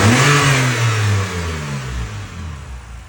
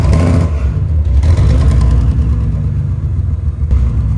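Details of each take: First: 2011 BMW 328i E90 after replacing cylinder four to six coil packs, including the failed cylinder six: revs blip and fall back cleanly to an even steady hum with no stumble or shake; running smoothly now. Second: 2011 BMW 328i E90 running poorly: rough uneven low rumble that stumbles and shakes; unplugging coil packs traced the misfire to a failed cylinder six ignition coil, before replacement.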